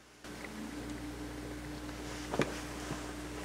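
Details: Amplifier with turntable hookup, turntable suspected as a noise source: a steady low mains hum with faint crackling static underneath, heard before the grounding fix; a ground loop hum that became dead quiet once grounds were added.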